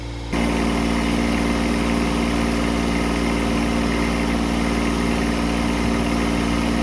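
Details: Kubota D722 diesel on a Carrier Supra 850 freezer unit, run after sitting for years, coolant reaching about 207-208°F, head gasket suspected: steady idle with an even low drone and no knocking; overheating can't be heard.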